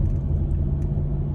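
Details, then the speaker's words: 2000 Cadillac Deville six-door limousine driving on a chilly 51°F day over speed bumps: a deep, even rumble builds smoothly with no knocks or misses, and it pulls with plenty of power. "Couple speed bumps here we'll bounce over. You can hear the engine's got smooth acceleration,"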